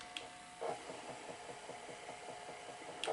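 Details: Zenith Betamax VCR during a full service, after a bearing that had fallen out of the motor was refitted: quiet, steady whirr in rewind with light, evenly spaced ticks about five a second; tape rewind normal, though a click-click is being watched.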